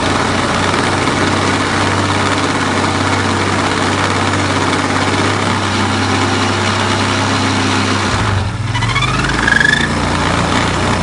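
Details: Crackling in the CF625 (X6) CVT variator with the cover on, rollers newly replaced; the belt scraping the casting is heard only at the start of rotation, then a rough crackle over the steady drone as revs fall; cause unclear.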